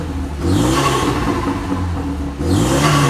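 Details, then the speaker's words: Renault Megane RS 225 Cup, under 100,000 miles, with a blanking plate causing flutter: engine revved twice, thin high squeal rising with each rev; owner says something is wrong with the belt; belt squeal when revving. "it's very squeaky as you can hear it's got a blanking plate on it as well which is one of the first mods I ever did to this car so that's why it flutters"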